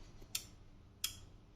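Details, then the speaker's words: TVR Cerbera ignition control unit bench test, start signal grounded: two crisp clicks about two-thirds of a second apart in quiet room; relays pull in cleanly, 12 volts to starter output; normal. "so I'm going to keep on the multimeter so you can hear the solenoids and watch the voltage go right go"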